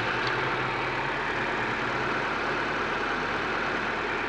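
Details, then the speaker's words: 2003 Nissan Micra (no AC) after an auxiliary belt change and tensioning: a steady, even idle hum with no chirp or squeal, so the belts sound healthy and properly tensioned. "you hear no noise no like quickling or stuff like that it should be okay it should be"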